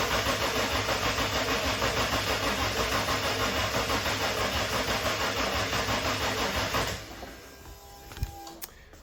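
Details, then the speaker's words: RB30 turbo swapped into a VN Commodore, manual ECU on an automatic loom, cranking fast about three turns a second without firing; owner suspects no oil pressure since the engine had no oil and had been upside down. "I feel like it's definitely not making oil pressure yet, which is probably understandable. It's definitely had no oil in it and it's been upside down."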